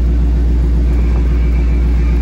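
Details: Dodge Charger after blend door actuator replacement, engine idling with AC on and temperature zones switched: steady low idle rumble with faint blower hiss and no clicking from behind the dash; actuator now working normally.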